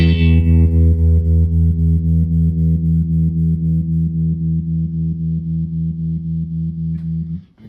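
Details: Restored 1974 Fender Super Six Reverb, 100 W, six 10-inch speakers: a held, distorted guitar chord pulses about four times a second at the slowest setting. The tremolo runs too fast for the original capacitor.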